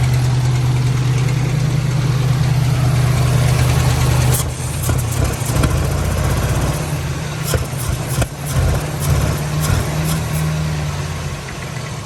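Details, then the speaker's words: 1997 Lincoln Town Car Signature V8 at idle: rough, uneven idle with a light clatter at the front, dying off when throttle is applied; timing chain or tensioner rattle and possibly miswired plug wires suspected, not confirmed. "yeah here's some rattling around the front there I don't know if it's a timing chain rattling or the tensioner supposedly that stuff was supposed to have been replaced"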